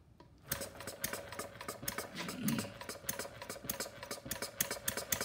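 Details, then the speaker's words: Homemade single-cylinder plumbing-parts gas engine (about 0.875 in bore, 1.5 in stroke, 7 in flywheel, CD ignition), not fully cold, on full choke: uneven, stumbling popping with a little smoke. It is running rich and misfiring. "I see we're getting a little smoke out of here so we're gonna turn the choke so that is personally uncovering that hole"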